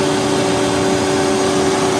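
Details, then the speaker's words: 2011 Toyota Camry Hybrid, over 10 years old: steady droning hum over a rough hiss from the AC compressor, noise from a worn compressor since the hybrid engine is very quiet; fix is compressor replacement plus full AC system rework. "แต่ที่มีเสียงดังเกิดจากคอมเพรสเซอร์เสื่อมสภาพ"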